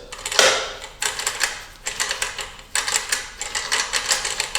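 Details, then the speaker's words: Suzuki RM125 dirt bike during teardown: gritty, clicking rattle in uneven bursts as notchy, worn bearings are turned by hand, catching and binding. "they're so notchy it's crazy you can just see them binding that is not good"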